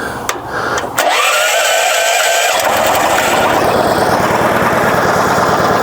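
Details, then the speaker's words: Portable generator (rated 7.2 continuous) just started with choke, running in economy idle mode feeding a home manual transfer switch; steady, even low-speed drone with no misses or knocks, outlet indicator blinking as output isn't exactly 60 Hz in idle mode; normal economy idle. "and you hear that D that idle that's because this idle features on so this plug is telling you it's a little blinky right here it's telling you it's not at that perfect 60 HZ"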